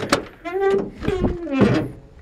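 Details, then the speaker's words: 1973 Camaro, driver-restored: short rising squeaky creaks as the door swings open, thunk at the end; dry door hinge probably needing grease. "You can hear the door open. It probably needs to be greased up."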